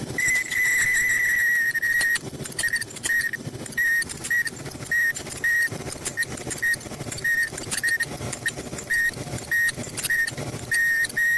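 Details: Front-load dryer running: high shrill squeal chirping in uneven pulses, roughly twice a second with the drum turning; traced to the worn front drum slider (support), to be replaced.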